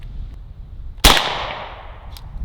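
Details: AEA Defender 2 air rifle firing on one barrel, after the second barrel had discharged its air without the trigger being pulled: a single sharp crack with a short airy tail fading over half a second, a clean normal shot at about 301–307 ft/s.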